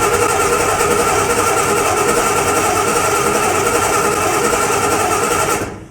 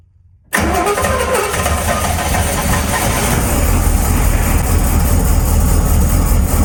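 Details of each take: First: 1981 Chevy C1500, freshly cammed 350 small block, cranking during a spark test before first start: steady, even whirring crank at three to four turns a second, no stumbles or clunks; spark present, starter turns it normally. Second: 1981 Chevy C1500, freshly cammed carbureted 350 small block, first start: fires right away, runs heavy and lumpy about eight seconds, then dies; flooded, wet spark plug, because the ungrounded choke didn't open and extra throttle was given.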